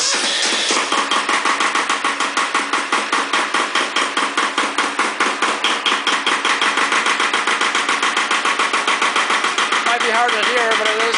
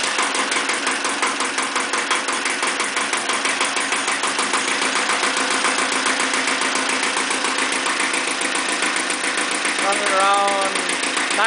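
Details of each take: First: Second Iseki tractor diesel, glow-plugged and started at 70°F, bad solenoid, lacks power and weak below about 1000 rpm: hard, fairly even clatter about twice a second just after starting; knock cause unclear. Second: Iseki TX-series tractor diesel, blow-by check after fitting a foot throttle pedal: even, steady diesel clatter at a relaxed idle with regular firing, no misses or knocks; some blow-by, but owner calls it a good running engine needing no work.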